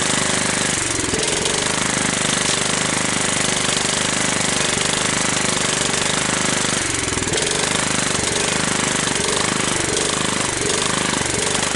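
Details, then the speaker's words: 17.5 hp Kohler riding mower engine, long stored outdoors and mouse-nested. After clean-up, blade clutch and belt removal and a carburetor cleaning, it chugs at a fast, steady beat with no stalls or bangs. It starts and runs well. "there we go it starts and it runs well"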